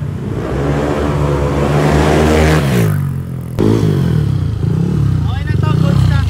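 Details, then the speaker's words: Yamaha NMAX V2 scooter with 63 basic setup (previously bolt-on only): clean throttle blips rising and falling smoothly, no knock or rattle; engine quiet and healthy. "Goods na to, tahimik na yung makina."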